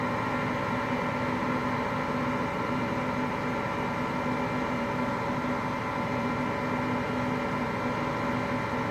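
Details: Hotpoint Aqualtis washing machine, bearings just started to go today: steady even roar with a faint hum and no knocks throughout the spin; drum bearing rumble.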